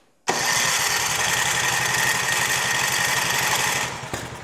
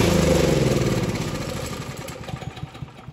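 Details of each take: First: Craftsman 536.881651 snow blower, Briggs & Stratton 12A113 type 0350-E1 built 2005, heavily primed and on choke: catches, then runs with an uneven, stumbling beat before dropping off. Rough running. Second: Craftsman snow blower 536.881651, Briggs and Stratton 12A113 engine, after carburetor stuck-needle-valve repair: small single-cylinder fires and settles into a quick, even putter that gradually quietens, running smoothly on choke.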